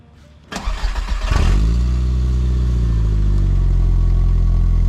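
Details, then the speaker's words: VW MK4 GTI 1.8T after exhaust repair with V-band clamps fixing a repeatedly broken resonator: cranks, catches with a brief flare, then settles into a steady, low, quiet idle with no exhaust leak puffing. "let's start it up and see what it sounds like it should be quiet really quiet"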